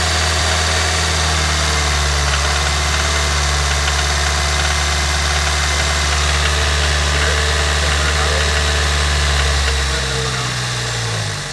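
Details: Toyota Corolla at steady idle: light quick regular tick on top, started suddenly today; owner suspects a lifter needing replacement or adjustment, unconfirmed.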